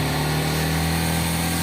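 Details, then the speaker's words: Yamaha R15 revving at about 5,500 rpm with a thin metallic buzz like vibrating aluminium foil over the engine hum; the rattle is from the rear footpeg and stops when a foot is pressed on it. "ele é um barulho metlico imagina um papel alumínio você batendo num papel alumínio vibrando um papel alumínio"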